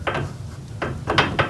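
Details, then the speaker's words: Garage door roller stem shaken in its hinge tunnel after a roller sleeve was fitted: short, soft clacks with no metal-to-metal ring. The rattle is muffled and greatly reduced. "It has become muffled. Hear that rattling? We put the sleeve over it,"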